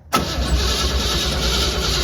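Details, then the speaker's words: Crosley hot rod V8 unstarted about 20 years, fuel added to tank and carburetor: steady even cranking but never fires; no spark at the plugs. "uhoh huh not sparking"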